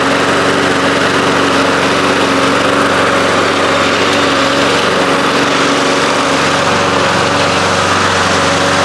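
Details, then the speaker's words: 1993 Toro Recycler II mower, Briggs engine, after fixing no-spark (bad ignition coils, damaged flywheel): steady, even single-cylinder drone with no misses or surging; running normally. "I can't believe it's running."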